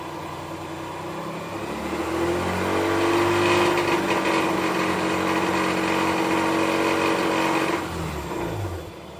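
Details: 2005 Mazda RX-8 rotary, rebuilt under 5000 km ago with lower intake manifold and remanufactured injectors: harsh gritty grinding/rattle from about 2500 to 5000 rpm, any gear or neutral, clutch pressed or released; compression in spec, one trailing plug wet.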